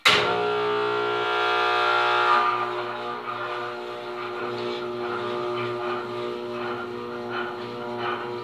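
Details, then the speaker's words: Old Sureweld transformer welder bought 1999, unused about six months, plugged in: steady deep mains hum with strong buzzing overtones and rattly vibration; always loud, owner suspects the transformer core halves vibrating, unconfirmed. "And like I said, this thing has always been really loud. I think the core inside of the two halves of the transformer is vibrating or something."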